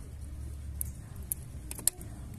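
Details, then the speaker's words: Chevrolet Aveo with ETEC II 1.6 engine being diagnosed for a fuel pump fault: a single crisp click as the ignition is switched on, showing the fuel pump relay energizes normally and should be powering the pump. "eso quiere decir que si está funcionando lo que es nuestro relevador entonces teóricamente debe estar pasando corriente a lo que es la bomba"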